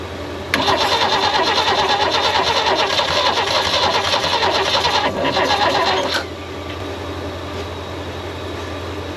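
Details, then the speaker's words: Abandoned Holden ute parked for decades: repeated cranking with uneven catches that never run; thought too tired to fire, though it is slowly getting better. "I think the little bit oil in that two-stroke this is so tired it just couldn't fire listen to this it's getting better I'm not saying it's going to run"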